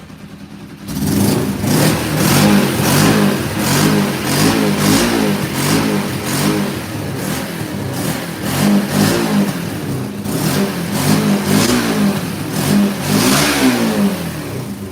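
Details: Motorcycle ($900) started with snow on the ground; first ran as if on one cylinder with high choke, then revs up and settles repeatedly, pulling smoothly without stumbling or popping, shuts off cleanly; running right once warm, "purring like a kitten."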